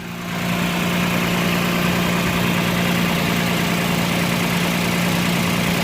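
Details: 2009 Toyota Land Cruiser GXR 1GR V6 idling, exhaust leak on left side of engine, a fast puffing tick about three a second; found not at manifold face but a pinhole below.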